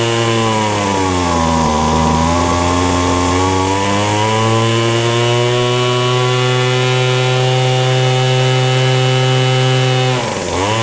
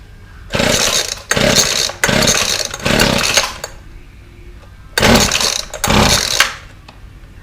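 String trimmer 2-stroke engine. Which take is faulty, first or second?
second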